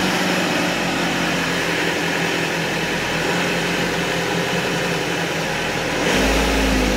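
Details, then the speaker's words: Isuzu Panther diesel being started in neutral with throttle after a new fuel filter was fitted; the fuel pump is broken. It churns unevenly at about four pulses a second, RPM keeps dropping, then it dies, starved of fuel because the new filter is still empty and unprimed. "Ini sambil berbet, RPM-nya turun terus. Nah mati. Nah ini berarti solarnya sudah habis yang diselang, tapi yang difilter habis."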